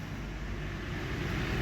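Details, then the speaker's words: VW CrossFox with a strange wheel noise: steady low rumble from the spinning front wheel with the half-shaft disconnected. The wheel bearing is worn with play, so the hub and bearing are to be replaced. "do próprio rolamento ruim ó ó lá o rolamento já tem folga ó ó tá rodando só o cubo em cima do rolamento né ó a folga aqui ó"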